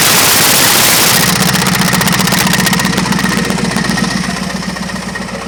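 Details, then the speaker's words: Yard wrecker, just started, on jack stands with a jack under the transmission: sharp, regular knocking about four per second over the engine, fading as it settles; a new, louder knock, sounds like something trying to fall off, cause unknown. "Sure sounds like something's trying to fall off or something. Because that louder knock that you hear, that's new. It doesn't sound good."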